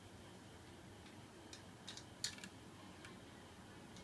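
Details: Boshijie 16" mini portable ceiling fan after oiling its bearing to cure a high-pitched squeak: soft, steady hiss, no squeak, a few faint light ticks; running normally.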